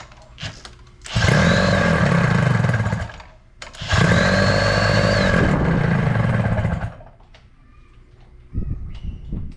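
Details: 1983 Evinrude two-stroke outboard after power unit work, started with starting fluid and primed bulb: two short bursts of crisp, even buzz rising with throttle and dropping back cleanly; normal running.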